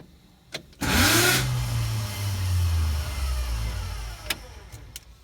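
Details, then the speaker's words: 1970 VG Valiant hardtop with a swapped V8, 4-speed manual and a new heavy-duty clutch kit flywheel, on first fire-up. A harsh metallic grinding burst on cranking comes before it runs; the starter appears to suit the factory flywheel but not the kit one. "Starter motor looks like it's the wrong one."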